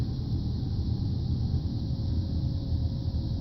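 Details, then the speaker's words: 2007 Chevy Aveo heater blower motor run by jumping the relay socket terminals: steady, even low hum with no rattles or speed surges; motor and fuse fine, relay found faulty. "so I'm going to go ahead and stick that in and you can hear my motor running for my blower"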